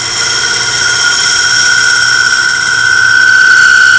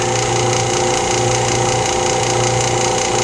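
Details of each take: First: Segmented maple bowl on a lathe being cut with a slightly radiused scraper: a steady high-pitched ringing squeal through the cut as the thin bowl wall vibrates and chatters against the tool. Steadied by placing a hand on the outside of the bowl. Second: Lathe vacuum chuck pump running during segmented bowl turning; gauge shows not a lot of vacuum but probably okay. Constant even motor hum with steady whirr, no surging or knocking; running normally.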